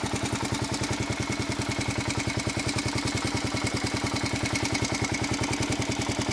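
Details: 1997 Kawasaki KLR 650 single-cylinder idling with a sharp even tick on each exhaust thump, noticed after an oil change following a valve adjustment set to the large end of spec; engine ticking at idle.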